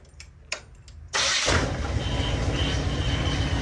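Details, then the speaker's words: School bus project with Dodge front end and newly fitted used power steering pump: engine catches and settles into idle under a steady high thin scream; suspected from the power steering pump, not confirmed. "all right so like I said it does scream uh I'm going to check into that a little bit see what possibly could be"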